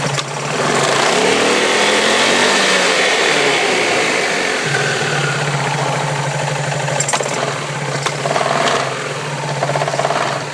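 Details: Yamaha Majesty 400 maxi-scooter: engine runs evenly with occasional dull knocks from the variator (belt drive) side; variator knocking, cause not identified.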